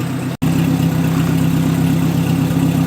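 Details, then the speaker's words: 1958 Oliver 550 gasoline tractor warming up, thermostat opened, after timing and carburetor idle tuning: even steady low idle with smooth regular beat, no misses or knocks; running cleanly, field test still pending. "She's warming up nicely. All that's left to do is get her out for a field test, but not right now."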